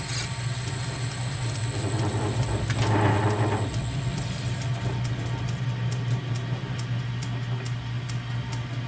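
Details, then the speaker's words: Lathe turning an unknown-material part (possibly 4140) gripped only about a quarter inch in the chuck jaws with no tail support; rough cut gives a low drone, thin high squeal and irregular ticking. Operator suspects a chipped insert: lathe chatter. "well that sounds pretty terrible and it looks pretty terrible I I think I might have a chip in this insert that I didn't notice when I started"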